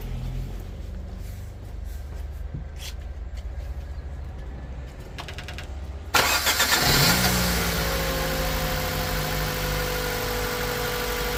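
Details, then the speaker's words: 2009 Mitsubishi Colt 1.3 petrol after replacing cylinder 4 ignition coil with a used one: cranks, catches and settles into a steady even idle with no stumble; misfire cured, running on all cylinders. ">> As you can hear now, the engine is running very smooth."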